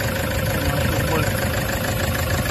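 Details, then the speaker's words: Toyota HiAce at idle in neutral, check engine light on: deep constant low rumble with heavy shaking vibration and no clean rhythm; rough idle, cause still to be diagnosed by engine scan. "umaandar yung makina ang lakas ng vibrate so kakalog-kalog grabe lakas"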